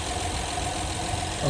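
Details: 2013 Honda Pilot just after thermostat replacement and coolant refill, no leaks: steady low hum with even, unbroken beat at idle, nothing tapping or missing; engine sounds healthy.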